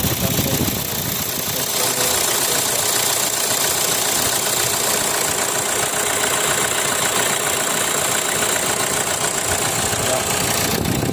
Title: Kia Sportage 2014 model engine noise problem...